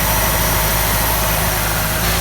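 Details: Ford XR4Ti engine idling smoothly and evenly with a constant low rumble, no misfire, ticking or surging; no water pump or turbo water-supply leaks; normal idle.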